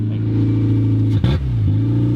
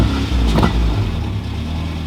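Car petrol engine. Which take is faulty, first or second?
first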